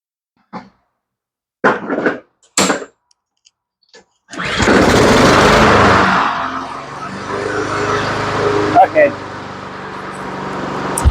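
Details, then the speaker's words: Honda HRN216 lawn mower, about two years old, previously wouldn't start, after repair: starts on pull, settles into steady even running with no misses or surging, sounds real good — normal running. "up real good sounds real good this thing is a rock star"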